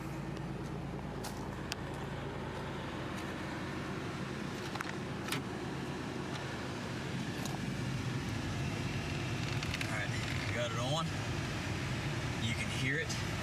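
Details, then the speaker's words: 1992 Oldsmobile Cutlass Supreme, about 93,000 miles, idling outside after debris was cleaned from the blower motor compartment. Soft, steady rush of air from the vents with no roar or rattle; before the fix it roared loudly. Normal blower operation, blowing cold air. "fan is working just fine and you can probably hear it now this is completely low can barely hear it before it was roaring really loudly now you just hear the air coming through the vents"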